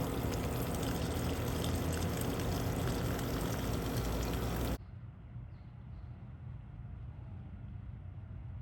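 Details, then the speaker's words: Humming from a leaking water line, loud rushing water then a faint steady low hum audible with ear against the spot; water meter reported spinning constantly. "the water line. You can really hear the humming, but you can still hear it if you put your ear here."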